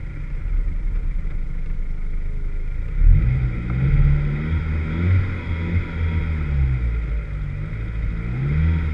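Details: Vauxhall VX220 at 3 Sisters Circuit: engine drones hard under load with an uneven, stumbling note and ragged surges instead of a clean pull. Engine misfire under load.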